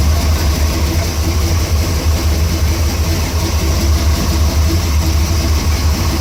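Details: Truck idling with AC not blowing: low, uneven throb about three times a second; engine seems fine, AC faulty, noise source unclear.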